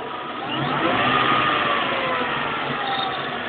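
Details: 2003 Mustang GT with a Kenne Bell supercharger fitted about 15 months ago: a steady hum rising and falling with revs, louder on the left side; owner suspects a pulley with a bad bearing, possibly the blower, unconfirmed.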